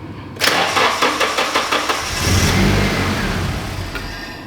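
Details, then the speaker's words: Nissan 240SX S13 with all injectors unplugged: a rapid chugging crank catches into a brief rough run that sags and dies within one to three seconds. Engine flooded with excess fuel after driving. Engine starts then stalls. "all right all the injectors are unplugged now it'll start we'll run for one to three seconds and die"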